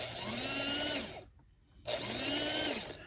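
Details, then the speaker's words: Varney 2-8-0 Canadian Pacific Consolidation model locomotive after freeing a stiff drive gear and regreasing: a clean, even whine that swells and eases twice at full power, picking up from all wheels, so the motor runs normally. "that's better maybe just needed to run all that grease through that I've just put in now that is full power it's picking up from all"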